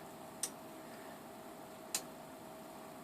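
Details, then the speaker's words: Bench power supply (60 V, 3.5 A): three sharp sparse clicks over faint hum as voltage is turned down, tap relays switching transformer windings; normal, common in higher-voltage supplies. "you're going to hear relay chatter, or relays clicking in there. I don't know if it'll show up in the camera. A little bit closer here. So yeah, you can hear 3 relays."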